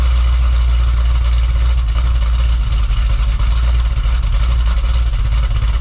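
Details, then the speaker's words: Cadillac CTS-V Wagon V8 cold start on factory mufflers (cutouts closed), after a bank 2 fuel trim code and suspected misfire; deep, steady idle rumble with no stumble, repair seemed to fix it. "I'll get you guys set up for a uh a stealth mode cold start it's pretty reasonable uh with the factory Mufflers so let's give you an idea what it's like with that instead of the uh the cutouts open"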